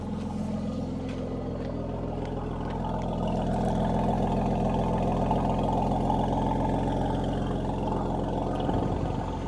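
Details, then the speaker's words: Mercedes-AMG C43 at a salvage auction yard, apparently gone off the road, started with key-not-detected and faults: deep, even burble at idle with no misses, knocks or ticks; smooth steady exhaust note, healthy idle. "This thing is absolutely loaded. It sounds wonderful, guys. Let me get out. Let you hear the exhaust."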